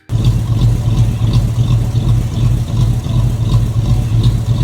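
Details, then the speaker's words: 1995 Ford Mustang SN95, V6 with rod knock swapped for a 302 Windsor V8, now with exhaust fitted and own SCT tune: deep rumbling idle with steady lope, no misfire or hunting; sounds much better, runs properly. "Now that sounds much better. And I mean, I took it for my first drive now that I had the exhaust."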